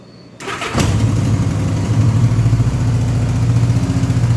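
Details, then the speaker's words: 1984 Honda GL1200 Goldwing with 93,616 miles, on the stand and fully choked: catches after a short crank and settles to a steady, slightly high idle, not bad; revs rise further when the cable pulls tight. "So it's idle on a little high right now, not bad."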